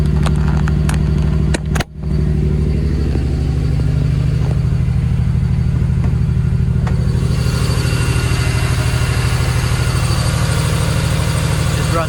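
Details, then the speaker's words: Ford Barra engine with 186,000 on the clock, not cammed, before intake gasket replacement: a deep, loud exhaust drone held high near 2000 rpm with an uneven, lumpy pulse; rough, too-fast idle, cause still unconfirmed. "We've got a very high idle. We've got a high idle at nearly 2k."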